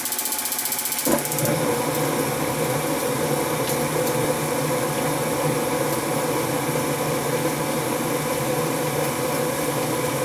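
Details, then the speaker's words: Gas hot air furnace that wouldn't run, after removing dead birds: steady, even whoosh with low hum and no rattle, scrape or knock; blower now running healthy. "yeah the blower sounds fine now guys so there must have been an extra extra wing in there"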